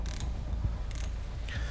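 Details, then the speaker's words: Fix-It Sticks 15 in-lb torque limiter tightening scope ring screws, central screws first: sharp ratchet clicks in short bursts as the head spins free; torque limiter slipping at set torque, preventing overtightening. "We start from the central screws and upon achieving the torque load of 15 lbs inch, which is quite small load, you can hear the idle rotation of the head, preventing the overtightening of the scope's mounting screws."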